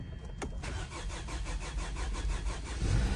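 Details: 2011 Hyundai Sonata after fuel pump replacement, previously a crank no start: brief crank, then the engine catches cleanly and settles into a steady, even idle with no stumbling, a healthy start.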